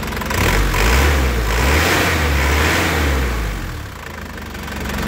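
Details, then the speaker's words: 2004 Isuzu Panther LS diesel at warm idle and revving, starting on a 2022 GS battery: deep, crisp note rising and falling smoothly with no stumble or misfire, no smoke; normal healthy diesel revving. "Saat siunannya juga enak, suaranya renyah, mesinnya juga tenang, tidak pincang, ya. Jadi tandanya mesinnya itu insyaallah sehat."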